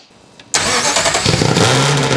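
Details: Ferrari engine in Alfa 105 build: fires instantly, blips crisply, settles to clean even idle with no knocks or misses; normal running.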